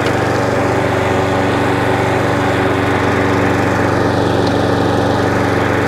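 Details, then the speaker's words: Hayter 41 Auto Drive variable-drive mower, drive engaged: steady engine drone with a faint, irregular catch in the drive; owner suspects the chain slipping on the side sprocket or a seized chain link, drivetrain catch. "yeah that works but there is a slight um catch on it i think it is that chain i can hear it the catch is there i think the train still exciting so the chain might be seized for one of the links"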